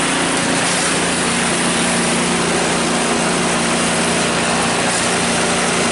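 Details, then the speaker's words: Cub Cadet 5 24 snowblower running after weak-drive repair, drive now much stronger: steady, even engine drone at constant pitch with a light rattle on top from loose rubber pellets inside; healthy. "Yeah, much stronger."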